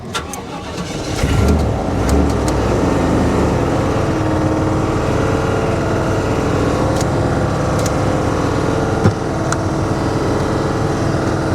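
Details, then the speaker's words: Dodge Ram SRT-10 (Viper engine) at salvage auction, engine just started and given throttle: idle with an uneven scraping rub over it; suspected electric cooling fan rubbing its shroud, not confirmed. Rubbing noise after start. "I don't like that noise. I don't like that noise at all. That does not sound healthy. In fact, what it sounds like to me is a cooling fan, an electric cooling fan that is rubbing the fan shroud."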